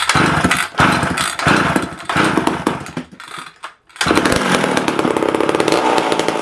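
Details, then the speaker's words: Vintage McCulloch chainsaw, not run for about a year, carb being tuned: screams at high revs with dips and blips under throttle, thin, seems a little lean. "give it a little bit on the load yet it seemed a little lean see what that does"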